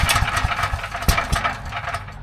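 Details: Briggs & Stratton 6,250 W gas generator, oil level checked OK: a few recoil pulls with uneven chuffs and thumps, turning over but never catching.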